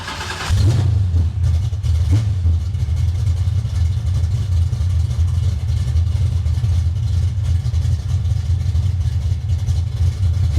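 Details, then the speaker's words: 1965 carbureted car after resetting the carburetor to factory specs (screws a turn and a half out; throttle had only opened about 3/4), floats good, warming up before a drive: steady even hum with no misses, very responsive. Normal idle. "So we're gonna let it warm up, and then we're gonna take it down the road, see how she does. It seems extremely responsive, I'll tell you that"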